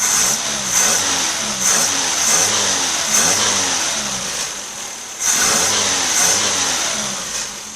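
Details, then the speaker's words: 1976 Toyota Corolla TE31 with a Weber carb: crisp throttle blips every second or so, revs climb straight away with no stumble or hesitation; healthy revving. "there's no hesitation as you could tell no hesitation at all i just barely turn it and it starts to raise the rpm"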